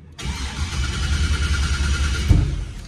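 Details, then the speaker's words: LS-swapped 1987 Monte Carlo SS restarted after cooling down to 111 degrees; it cranks and catches with a rough, uneven low rumble and a small pop out the pipe, fouled plugs dumping fuel with weak spark. "You can hear the little pop out the pipe. That's because the plug's falling out and it's dumping fuel in there and not getting enough spark."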